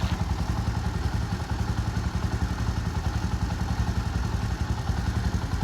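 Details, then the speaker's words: Bajaj Boxer X150 single-cylinder motorcycle idling just after an engine oil change following a 697 km trip, run to circulate oil; steady, even putter with no knocks, ticks or rattles, a normal smooth idle. "Right now you can see the sound is so smooth. It idles so well."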